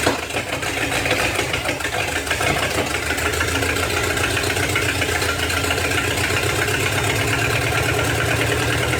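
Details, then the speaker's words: 1956 small-block 265 V8, bought non-running, bottle-fed fuel after timing adjustment: uneven lumpy idle stumbling irregularly; misfiring on one or more cylinders, owner suspects spark plugs or wires, mechanically believed fine. "hard to feed it with a bottle to keep it running but um yeah hey it's still got it spark plug or wires or something"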